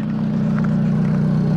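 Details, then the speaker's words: Kia Rondo with a crank no-start, running after a blown 25 A fuse for the bank 1 and bank 2 sensor 1 oxygen sensor circuit was replaced; steady even low hum, smooth regular firing, no knocks or misses. "got that replaced and now the vehicle's running"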